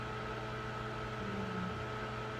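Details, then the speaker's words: Microwave with the door sensing (secondary) switch disconnected from the board: only quiet steady fan and turntable hum, light on, no deeper transformer drone. Fan and turntable running without heating. "So if I disconnect this from the board, Fan comes on automatically. it's not heating."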